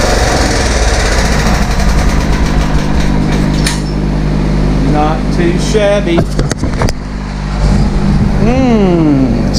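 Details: 15.5 HP Kohler single-cylinder engine from a scrapped Craftsman rider, run after new oil filter, air filter and fuel line: even drone with no misses or knocks. The screeching on top was likely mud dauber nests burning off; normal running.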